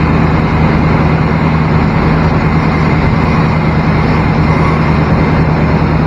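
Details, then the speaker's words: Used square-body Chevy truck, idling after start during a pre-purchase inspection: steady deep rumble with a low throaty growl and no knocks or ticks; exhaust has been modified. "yep definitely somebody's messed with the exhaust he's got a little growl"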